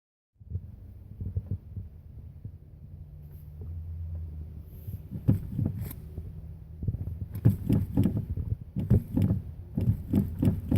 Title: Hard Start